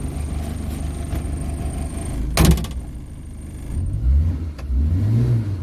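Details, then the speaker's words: 2002 Suzuki Carry Careta petrol engine at 50,406 km, started and settling into a low, steady, smooth idle with a brief clunk midway; engine runs very smoothly, normal idle. "Nah, mesinnya halus banget. Ini kondisi mesin udah nyala ini, jadi nggak kedengaran."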